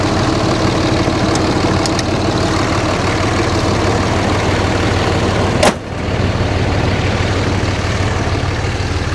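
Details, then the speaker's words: RAM 3500 dually diesel at a dealer auction, heard at the exhaust: steady, even diesel clatter at a settled idle with no misses or surging; sounds good. "Let's go back to the exhaust, see what it sounds like. Sounds good."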